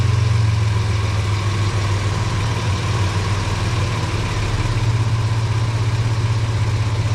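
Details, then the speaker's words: Test start of a truck after replacing the cat-back exhaust and applying exhaust sealant (cured a week, two coats): deep steady idle, even exhaust note, no puffing, ticking or rattle; exhaust sealed, no leaks. "So as you can see, that exhaust worked perfect."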